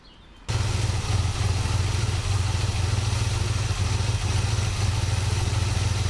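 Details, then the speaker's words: 1967 Buick GS340 at cold start: a low, uneven idle lope of about three to four beats a second. The owner blames the ignition system, and faulty points were later replaced. The remanufactured carburetor's idle circuit was also flowing poorly. "This thing is just not happy with that ignition system. It's alright. We'll take care of that freaking problem."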